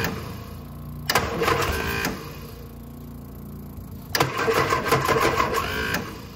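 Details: Innocenti S Spyder that sat for years, cranked with the choke held after removing the fuel tank and bleeding air from the fuel line to the carburetor: two fast starter bursts with a pause between, and it never catches. Long cranking, slow to start.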